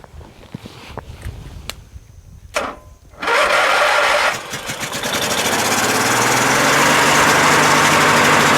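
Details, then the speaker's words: Craftsman LT1000 lawn tractor with Briggs opposed-twin 19.5 hp engine, after the water-contaminated tank was drained, the fuel filter changed and the carburetor blown out. A few clicks and a short crank, then it settles into a smooth, steady low idle. "so that's it engines running now runs pretty well this is low idle right now I mean it's fast but it's not like really fast you know it'"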